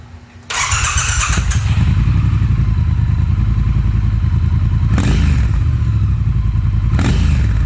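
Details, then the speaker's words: Triumph Thruxton R with stock exhaust and catalytic converter, before X-pipe cat delete: fires into a deep, muted, quiet even idle with a couple of quick throttle blips; normal running with stock exhaust. "so first thing I'm gonna do is just show you guys what it currently sounds like and then after that start taking it apart okay so this is the pre mod exhaust"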